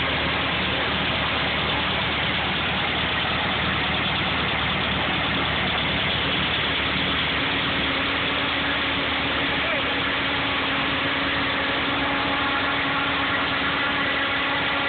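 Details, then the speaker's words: Air-cooled VW Beetle: steady harsh grinding rasp with faint whine at idle, started suddenly; owner suspects the fan, unconfirmed. "so yeah there's a noise um I'm guessing it's the fan but maybe someone with some more knowledge can tell me otherwise"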